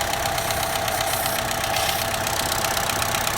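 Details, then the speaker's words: 2012 Chevy Cruze 1.4 turbo idling with code P0171 and rough running; steady idle with constant airy hiss as air is sucked through the failed, leaking PCV valve in the valve cover, which needs replacing as a whole unit. "the lagoon you can hear the air being sucked in through that Valve I guess but we have a bad piece of these out"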